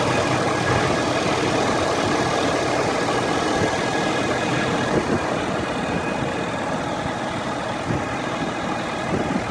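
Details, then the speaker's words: Ford F350 diesel truck fully warmed up at idle with a thin steady high whine over the engine clatter. Cause unknown: the noise comes from the top of the engine near a black box on the driver's side or center, while a dealer blamed the transmission. "This is the noise the truck's making, and I took it to the Ford dealer in Colorado Springs. They're trying to say it's the transmission, but the noise is coming from the top of the engine over here."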